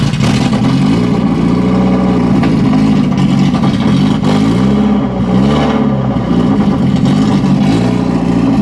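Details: 1991 BMW 318i E30 that hasn't run in years: long run of uneven starter churning that rises and sags without the engine catching; cranks but won't fire. Owner suspects a dead battery.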